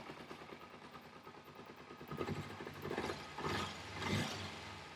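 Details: Carbureted motorcycle engine after adjusting the pilot jet screw richer on one carb: soft, fairly even low putter at idle with no stumbling or hunting; idling smoothly.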